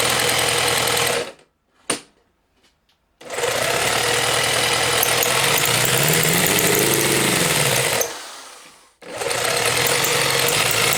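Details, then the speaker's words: Homemade four-cylinder CD125four engine (Honda Monkey converted, ver1.1) on test bench, all four cylinders firing: fast buzzy note cutting out and restarting; runs only on choke with blips, stalls without choke; owner suspects carb too large, airflow too slow to vaporize fuel. "チョーク引いてればかろうじてなんとか煽ってればかかるんですけど、逆にチョーク閉じちゃう、チョーク下ろしちゃうともう一気にストールしちゃうんで、"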